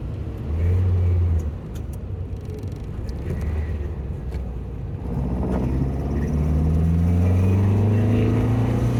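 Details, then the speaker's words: 1967 VW Bug after fuel-leak repairs, recorded from inside the car while driving, following street and freeway driving; steady low drone rising smoothly through the gears, even firing, no misses or knocks: normal running. "the car seat has been running pretty good"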